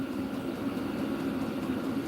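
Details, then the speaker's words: Diesel-powered heater in a dog kennel, about 8 minutes in, after the remote setting was raised to 91 and it kicked up: steady, hard-blowing roar with a mid-pitched hum, no knocks or rattles. Running normally at high output. "oh it kicked up so let if I go okay might be cooking with some Crisco [Music] now oh okay now we got it up oh [Music] definely blowing hard"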